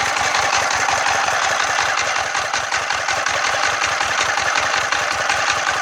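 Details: Freshly rebuilt Yanmar TF115 11.5 hp single-cylinder diesel (new piston, rings, liner, bearings) first start, throttle not yet set: crisp evenly spaced chuffs at steady idle, no knock or miss; normal idle.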